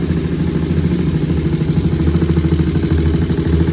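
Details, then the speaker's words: 2001 Honda TRX400 with a small tick after valve adjustment: even single-cylinder thump at about three beats a second, steady with no ticking or misses; a healthy idle. "Y'all see the bike sound nice and healthy. Got a nice idle on it."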